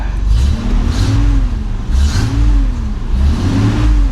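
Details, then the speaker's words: Hurricane-flooded Nissan 300ZX; engine fires up and revs cleanly through three blips, rising and settling evenly with no misses or knocks. Normal idle and rev. "I mean, it sounds good. Sounds great. Runs great."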